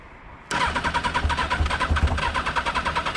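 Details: Motorcycle left standing one month: starter cranks steadily at about three compressions a second but the engine never fires; cranks but won't start.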